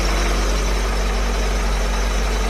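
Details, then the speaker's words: 2003 BMW E39 M5 V8 at idle, almost a cold start, just after replacing the spark plugs to address a possible misfire; Vanos is quiet, and it has run only a couple of minutes with no warning lights. A deep, steady, even rumble with no stumbling, running smoothly. "This is an 03, so it's pretty quiet in regards to the Vanos. And this was literally almost a cold start. I did have it on momentarily while I swapped. The M3 was in this position, of course, and it seems to be running fine."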